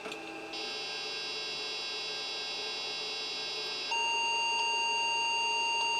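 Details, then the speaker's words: Vintage laptop bought at a car boot sale: thin high electronic tones stepping up in pitch for several seconds, a low-battery warning before it shuts off. The screen works; a bad CMOS battery is also suspected. "Right, so obviously it's getting... it had got a few issues, but it's telling us we've got a low battery. and it's shut off."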